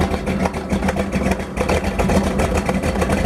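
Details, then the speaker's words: 1932 Ford Roadster street rod with ZZ502 big-block V8, hot morning, 50 psi oil pressure at idle, heard from outside the car: deep, slightly lumpy rumble with no ticking or knocking, healthy normal idle. "Anyway, we're going to get out and let you hear it run for a minute."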